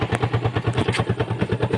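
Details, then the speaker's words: Neglected Yamaha Sight EFI motorcycle, revived and smoking oil: a steady idle around eight pulses a second with a light metallic clatter. The clatter comes from the clutch housing damper, not an engine knock. "So sa mandar ito pala yung medyo matino yung andar na walang tunog katok. Yung tunog na yan, dyan lang yan sa kanyang clutch housing, yung damper"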